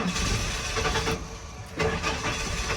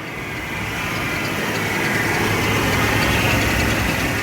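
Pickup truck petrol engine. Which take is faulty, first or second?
first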